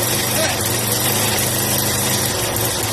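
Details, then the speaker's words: Yamaha SR125 stored for years, first start with choke on: a fast, buzzy single-cylinder beat that stays high instead of settling to a slow tickover. The idle speed is too high. "Sounds like the lawnmower. Yeah. The rims are a little too high for idle."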